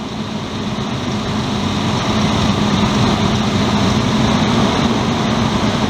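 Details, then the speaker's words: 1999 Ford Explorer after replacing the serpentine belt, tensioner and idler pulley: smooth, steady engine run with an even hum and no belt squeal or chirp; normal running. "you know you'll hold a row make sure they don't fly off that sounds a whole lot better not squealing at all"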